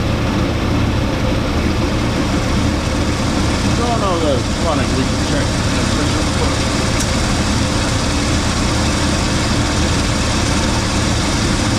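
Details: 1980 Cadillac Deville on its first start after six months of winter storage: smooth, deep, steady idle with no knocks, misses or surging; normal idle.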